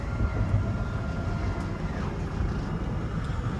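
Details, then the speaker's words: 26RKWS camper slide-outs opening, buttons held for about 20 seconds: steady low drone and even motor hum; the smaller rear slide stops first, normal operation. "I heard the back one stop already. The back one's not as big. It doesn't travel as far, so that'll open first."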